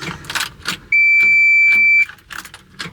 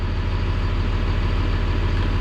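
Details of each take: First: CAT 336 excavator at about minus 15 or colder, intake heater on: key gives a single steady warning beep, no starter engagement or cranking; key start relay solenoid replaced first. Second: CAT 336 excavator reported not starting in cold, about 0 degrees: cranked slowly but fired up and settles into deep steady rumble with even firing; mechanic suspects slow cranking in colder weather may prevent HEUI pressure building.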